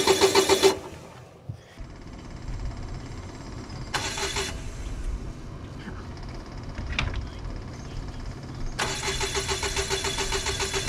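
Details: Onan QD7500 Quiet Diesel generator, after a no-start repair with new filters and an aftermarket fuel pump: primed, a few short cranking bursts, then it catches into a steady, even diesel drone and runs normally.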